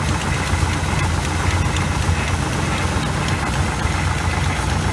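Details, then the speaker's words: 1986 GMC with a small-block 400 V8 and Edelbrock carburetor, after idle mixture adjustment: deep, lumpy, uneven idle with small stumbles; still idling a little rough, owner suspects the spark plugs. "it's idling a little rough but man we might be down to spark plugs"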